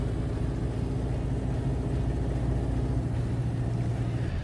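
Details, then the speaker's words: Ford Model A with a new Mitchell synchronized transmission and overdrive: low, smooth, even drone with no gearbox whine or clunk; running much better. "See, it's running so much better. It's pulling 50 on here going uphill. I'm still in low, not in overdrive here. It just sounds so much better."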